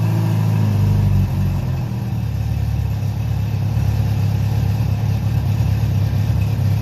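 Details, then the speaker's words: Honda CB700SC Nighthawk inline-four at idle after carb cleaning (pilots clogged, wouldn't run without choke), old gas drained, fresh non-ethanol fuel, 4-into-1 exhaust, no airbox, throttle cables unhooked; steady deep burble, even idle after brief blip, no misses; normal idle. "I just want to see how it runs as is without this stupid bulky airbox thing, which is a pain in the butt to get on with these the old air boots and line up properly and all that jazz."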